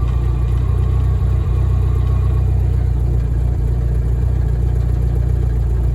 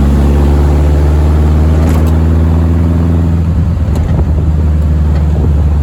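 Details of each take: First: VW-engined Deserter GT dune buggy reusing an old Sachs clutch, idling with clutch pedal pressed: lumpy idle rumble with a faint hum from a worn throwout bearing; engine to be pulled and bearing, pressure plate and disc replaced. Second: Air-cooled VW dune buggy driving after replacement of the throwout bearing, pressure plate and clutch disc: deep, steady drone with no rattle, and no clutch-pedal noise. Normal clutch operation.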